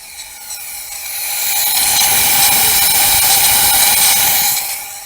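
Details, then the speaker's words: Leakdown test on an engine on a stand, cylinder with misfire and low compression: steady airy hiss at the exhaust with the engine not running, air escaping past a leaking exhaust valve; nothing heard at the crankcase. "So, it's got quite a bit of leak down. If I put my hand under here, I have air coming out exhaust. This is the issue."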